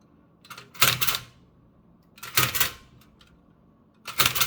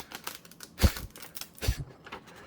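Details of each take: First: Restored Toshiba BW-3112 Japanese kanji typewriter after final adjustments: three crisp mechanical strikes about 1.5 seconds apart, now typing English smoothly; slight page crackling from backing sheet bonding. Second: Restored Toshiba BW-3112 Japanese kanji typewriter: heavy strikes with dry paper crackling because the backing and front sheets bond from the hard slug presses; softer platen might improve impression.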